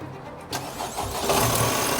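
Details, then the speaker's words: Wrecked Honda Civic Type R FK8, about 35,000 miles, non-runner on booster with no coolant: starter whirs, engine catches briefly, runs ragged and horrible, then cuts out; rough start. "no matter what we did we could not get this car running it would crank start briefly and sound absolutely horrible and just immediately cut out"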